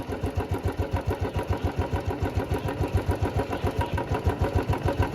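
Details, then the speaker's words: Royal Enfield Old Bullet Classic 350 single-cylinder at idle after engine rebuild and refitting (timing tightened, oil pump fitted), now being run in: steady thump with a metallic jingling noise on each beat that persists after repair; source not identified. "But ये जो छनछन की आवाज है ना यार ये बंद नहीं हुई सो यही कान में चु रही"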